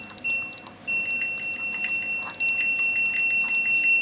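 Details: LG Direct Drive front-loading washing machine control module that was hard to start, after a modification soldered from the reset transistor: clean, steady high beep on power button press repeating evenly with no buzz; powers up normally.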